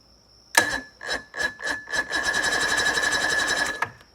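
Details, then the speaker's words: Johnson 88 outboard, remounted after a seized steering knuckle repair, cranked on a weak, charging battery: a few short bumps, then a steady chug of about four turns a second with a thin whine; starter turns it over freely. "you see turns over just like a charm very nice"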